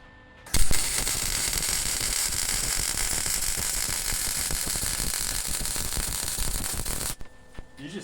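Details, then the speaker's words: Welding on a 4x6 mini trailer, closer ground clamp: even, continuous frying crackle about six seconds without pops or sputters, better than the earlier popping tack; steady welding arc. "did you hear how much better until I got to the end how much better that sounded versus The Tack in the back"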